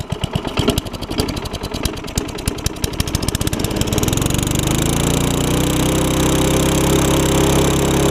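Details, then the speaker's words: Craftsman self-propelled mower with Tecumseh Eager 1 engine, carb and gas tank swapped, carb needle had stuck: sputtering start settles into low-pitched run that never reaches governed speed; owner suspects throttle linkage hooked up backwards, since manual throttle picks it up. "the problem is i think whoever had this originally hooked it up backwards because when i ever get when i give it the throttle manually like that it'll pick up"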